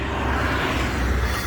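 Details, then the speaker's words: Front hub on a 1987-91 Ford F250/F350 2WD dually, spun by hand after tightening the reused Timken wheel bearing nut: a steady soft hiss from the dust shield lightly rubbing behind the caliper's top. "That hissing sound you hear, it's actually a dust cap back here touching from where the caliper's at the top."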